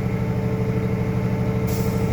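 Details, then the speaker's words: International truck in-cab pre-trip, diesel idling while building air pressure: steady idle, then a sudden sharp hiss as the air governor cuts out at full tank pressure, around 120 psi. "was my air governor all righty now I have full full pressure in my tanks"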